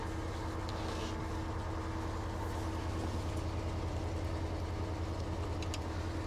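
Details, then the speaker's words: 2008 Cadillac DTS V8, about 100,000 miles, check engine light on, just started at auction: low steady drone with a slightly uneven, lumpy pulse; running rough, cause not found. "She's alive! Oh, not the best sounding"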